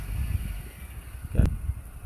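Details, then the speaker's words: Honda Accord (CU2) idling after unplugging the noisy power-folding mirror motor wire: only low soft engine rumble with one brief knock, no buzzing or whirring from the mirror; glass adjustment still works. "as you can hear no noise right"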